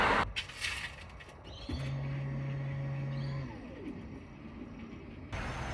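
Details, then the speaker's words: 1998 Holden VT Commodore Berlina, crank-no-start, listening by the tank at ignition on: steady low hum for about two seconds then stops, the in-tank fuel pump priming normally; fuel supply still suspected. "Okay, so I'm pretty sure we heard the pump whirring then."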